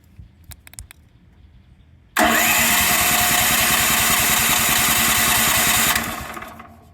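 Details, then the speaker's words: Predator 13,000 W tri-fuel generator, first start on propane: about four seconds of cranking that never catches, then spins down; hard start from air in the regulator line, and it ran rough for about a minute after starting. "So it will take several times of turning this thing over to get it started. And then when it did start, it ran like crap for the first about a minute, minute and a half."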